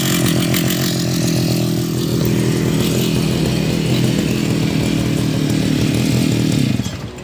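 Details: Brush cutter two-stroke previously hard to start from flooding due to stuck gasoline: high, buzzy note holding steady at high revs with no sputtering or bogging, then dropping off; engine running properly.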